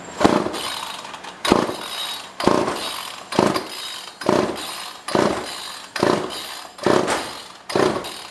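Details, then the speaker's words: Old pre-1990s two-stroke chainsaw, no primer, no air filter fitted: repeated rope pulls about once a second, rasping whirrs that die away without catching; fuel seems only just reaching the line. "Looks like there's fuel getting to it. I wish this had a primer. I can't tell, but it almost looks like there's fuel in that line."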